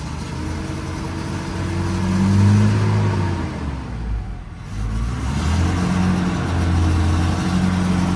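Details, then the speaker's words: Toyota Innova: idle stuck around 1000 rpm, engine stutters and bogs when throttle opens, won't rev cleanly and falls back; mass airflow sensor is the main suspect. "Oke ini kita hidupkan mobilnya jadi kalau kita hidupkan mobilnya itu seperti ini RPM ya ituu satu juga enggak mau turun ya itu satu terus suaranya itu beret beret beret beret beret beret gitu ya tuh ini kalau kita gas nih berebet-brebet"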